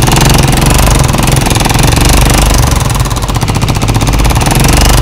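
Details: Honda CG125 motorcycle before tappet adjustment: rapid, sharp clatter ticking in step with the idle over the engine's thump; loose tappet and worn pushrod tip, fixed by setting tappets with a feeler gauge.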